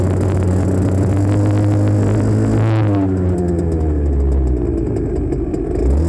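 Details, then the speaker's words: 1984 Honda CR80R two-stroke ridden with a phone mounted on the front, after earlier running only on choke: a buzzy note wavering in pitch, stumbling rough then clearing, over and over. Surging. "But as you can hear, it would run rough, and clean up, run rough, clean up, run rough, clean up."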